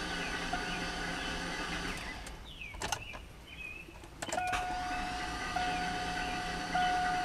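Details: Garage-rebuilt LS engine, cranking on starter with spark plugs out to prime unprimed oil pump as battery runs low: steady free-spinning starter whine, no compression pulses, drops out briefly then resumes; oil pressure came up.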